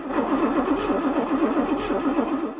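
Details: Camaro barn find parked 32 years: steady starter churn at five or six even beats a second with no firing; cranks but won't start despite spark, fuel and air; compression or firing order suspected.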